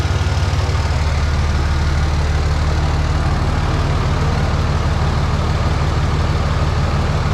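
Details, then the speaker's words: 2003 Dodge Cummins diesel ex-farm truck, first start on ether with lift pump on: fired right up, deep even idle about three beats a second, no misses or knocks; strong oil pressure, charging, no major leaks. "fired right out dude that thing's got crazy oil pressure yeah appears to be charging sounds pretty good really i don't see any major leaks good news"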